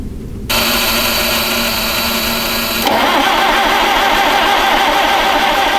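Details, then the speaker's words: 1961 Oliver 550 tractor after carb jets were cleaned and new plugs fitted, cranked at full choke: the starter spins steadily and the note shifts briefly, but it never catches. It only tries to run at full throttle, full choke and starting fluid. "okay so after all of that seems that the only way this thing will even try to run is Full Throttle full choke and a little bit of starting fluid right there at the start"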